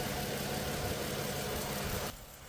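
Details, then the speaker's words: 2008 Dodge Avenger after the customer's head gasket and timing job, with the intake patched and the EGR blocked off and unplugged: a smooth, even idle with no stumble or hiss for two seconds before it goes quiet; running normally, with the intake patch holding. "And I had the EGR unplugged, but she seems to be running pretty smooth. The patch on the intake is holding."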